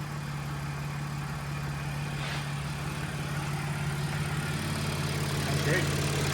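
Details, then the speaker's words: Audi SQ5 3.0L supercharged, after repair of P0018 limp mode from broken timing chain tensioners and guides: new chains, tensioners, engine mounts, resealed cam covers, timing cover and oil pan; smooth even idle, no rattle or chain slap; normal idle. "The car is uh idling very, very smoothly. Um, and it sounds great."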